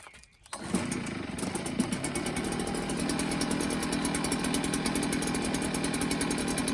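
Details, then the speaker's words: Echo blower that would not start because its tank-to-carb fuel line had pulled off; after refitting the line and carburetor, with choke on and primer bulb pressed, it catches within a pull and settles into a steady high buzzing run with no stumbling, a normal start. "I'm going to turn the choke on and hit the primer bulb and hopefully no fuel squirts out and that hose stays in place everything looks good and try to start her up"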